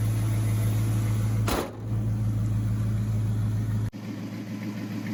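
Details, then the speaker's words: Old Dodge farm truck after new fuel lines and carburetor replacement: a steady, even low hum with a brief dip and clean recovery, no misses or knocks; the engine now runs smoothly, purring like a kitten. "Bertha purrs like a kitten now. Listen to that, huh? Woohoo!"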